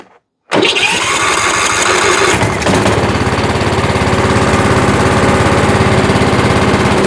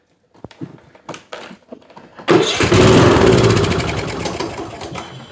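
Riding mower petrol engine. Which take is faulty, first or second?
second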